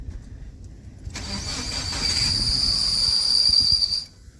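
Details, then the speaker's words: 2017 Subaru Crosstrek manual with a completely worn clutch release (throwout) bearing, started in first: rough crank, then it catches with a thin, steady high squeal. "all right so you notice it's fairly quiet although starting to make noise but the second you apply any clutch pedal pressure oh dear try just starting it and doing just a little bit of clutch pedal you'll hear the noise changes"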